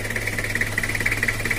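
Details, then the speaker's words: Toyota Kijang LGX diesel at idle: a dull, quick, shaky thumping idle that sounds low on rpm. The engine also loses power and coolant, 1–2 L per 30–60 km. Mechanic suspects the timing is not tight enough. "terus untuk tenaganya itu ngempos dan suaranya itu langsamnya bergetar kayak kurang besar"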